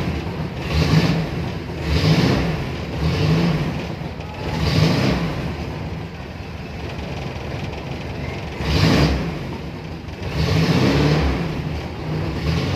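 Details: Toyota Tamaraw FX petrol engine after a cranking no-start, fixed by moving the yellow ignition wire to a positive terminal to power the ignition coil; low steady rumble swelling with throttle blips in neutral, picks up cleanly, runs evenly, no misfire.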